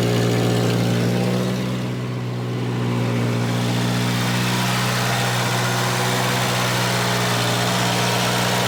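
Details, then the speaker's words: Volvo 240 warming up: smooth, steady hum that never settles to a proper idle, a chronic high idle. Blown top cam seal leaking oil and an exhaust leak also noted; high-idle cause unconfirmed. "All right, so we've got consistently, chronically high idle, and we have a very blown out top cam seal, which the good news is it's the top seal."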